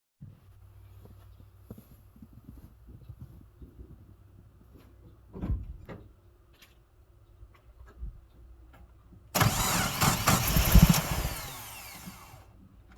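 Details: 1987 Mazda B2000: after a quiet stretch the starter spins the engine for about three seconds but it never fires or catches; cranks, won't start, cause unknown.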